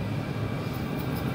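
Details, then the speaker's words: Cheap Chinese diesel heater, first test run: steady even blower whoosh, fuel pump inaudible, no rough burning; running normally, hot exhaust without smell. "i can't even hear that fuel pump like people say oh you can hear the fuel pump i can't hear that i hear a fan"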